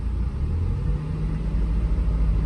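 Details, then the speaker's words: Mazda Miata four-cylinder petrol engine warmed up and idling steady and even, no missing beats, after fixing a bad injector that left it running on three cylinders, plus new plugs, plug wires, fuel filter and fresh fuel; a slight valve tick was noticed. "Anyways, regardless, bud, that sounds heaps better."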